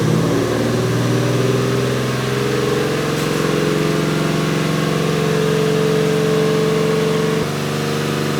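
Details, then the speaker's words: 2JZ-swapped Toyota van with inoperative gas pedal, possibly old fuel: engine holds steady raised speed with even hum, never dropping to idle; throttle stuck on, revving high. "It sounds like the throttle, however it is, however it's set up, is on, like it's not idling, it's revving high."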